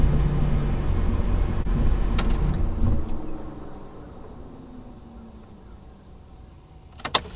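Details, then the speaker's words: 2008 GMC Sierra with an intermittent hard-crank problem, after replacing the fuel filler cap (mass airflow sensor already replaced without help): cranked well twice in a row, runs steadily then shuts off smoothly; normal start and idle. "it cranked twice in a row really good and let it run for a minute"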